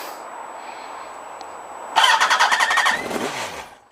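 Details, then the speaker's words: Yamaha R1 first start after clutch replacement with uprated Kevlar clutch: engine catches with uneven, stumbling, shaky, rattly firing pulses about four a second, then fades within two seconds; rough start, clutch free play seems okay, something rattling. "Oh, that sounds shaky. Flipping heck. Clutch free play seems okay."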